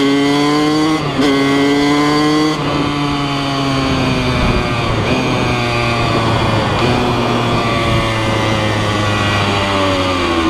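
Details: 2003 Kawasaki KX100 junior motocross two-stroke ridden under load: crisp buzzy note climbing and dropping cleanly with throttle, no misfires or knocks; fast, super punchy power band, healthy.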